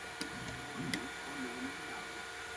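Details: Tronxy XY-2 Pro 2E dual-colour 3D printer, bought March 2022: hum with sweeping motor tones broken by sharp clicks from one extruder, seemingly during z-hop; other extruder quiet.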